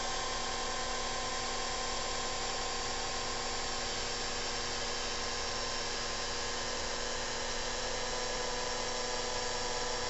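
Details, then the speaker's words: 1978 Ham II antenna rotor with CDE controller (motor start capacitor replaced), stored about a year in shop: steady dense motor whir with faint regular rasp; turns full rotation but slowly, owner suspects it needs refurbishing, bearings greased, cleaning; rotor pot feedback to meter apparently faulty. "So this rotor does work. It works slow. It probably needs some refurbishing."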